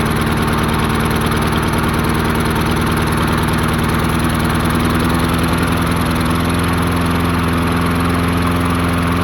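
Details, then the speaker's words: 22-inch Murray mower, 5 hp Briggs flathead, unrun 20 years, float bowl freed: single-cylinder putter surging unevenly, beat dropping, about to stall; not getting enough fuel, suspected debris in fuel line. "and not getting enough fuel hmm [Applause] yeah not getting enough fuel that's why it's not running"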